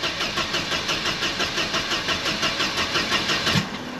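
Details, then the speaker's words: Mercedes W124 220CE after a crankshaft position sensor replacement: even starter churning, about three beats a second, that never fires; now cranks with no start at all, and the owner suspects the coils. "okay so the only thing i've changed is the crankshaft position sensor [Music] i've just made it worse now it won't start at all"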